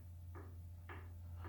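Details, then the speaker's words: Differential ring gear rocked by hand with a dial indicator set up: sharp metallic clicks about half a second apart from play between the ring and pinion. Backlash reads about 0.011 in, a little out of spec. "is a little bit of play we have between the ring gear and the pinion gear."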